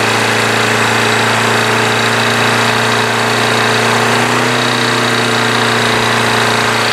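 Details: Craftsman push mower with Briggs & Stratton Quantum engine after winter storage, primed and started. Loud, steady single-cylinder buzz at constant speed, no surging or knocking; healthy at correct rpm.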